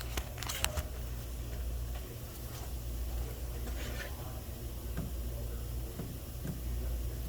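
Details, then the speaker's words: 2012 Hyundai Santa Fe, AC compressor powered directly through the compressor relay slot, phone placed nearby: sharp isolated clicks as the compressor clutch engages normally. "so hopefully you were able to hear that clicking sound that's the sound of the ac compressor clutch engaging"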